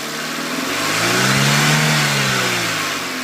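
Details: Renault Clio 1.2 16V revving up and back down with a rising and falling whine over a rattly note; whine and rattle, cause not pinned down.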